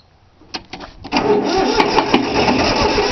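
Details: 3-cylinder Yanmar diesel cold start after repeated glow plug heating: a few weak clicks, then steady cranking about three beats a second, never fires; owner suspected a worn starter, but fuel lines weren't bled, air in them; usually starts right up.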